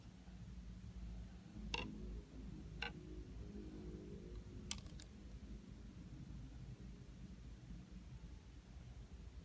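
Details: DJI Phantom 4 camera gimbal: sharp isolated clicks over faint motor hum every time the gimbal tilts downward.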